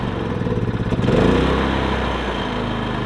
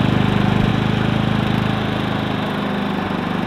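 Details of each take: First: Predator 3500 inverter generator with 18 hours of run time, before cleaning: a steady small-engine drone surges and sags around one second, then settles. The engine stumbles, and the owner believes the spark arrestor is clogged. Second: Predator 3500 inverter generator, 18 hours run time, earlier stumbling, suspected clogged spark arrestor: restarted with arrestor removed, small engine settles into steady even running without surging or stumbling.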